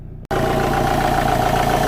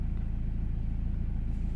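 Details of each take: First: 2008 BMW X3, believed 2.0 litre diesel, engine light and intake trouble codes. Under bonnet, engine idles with a steady clatter and a constant airy hiss: charge air leak from a boost pipe blown off the intercooler. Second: 2008 BMW X3, believed 2.0 litre diesel, idling after refitting a pipe that came off because its clip was fitted backwards. Even, regular idle pulses, no intake hiss or whoosh; sounds way better, normal idle.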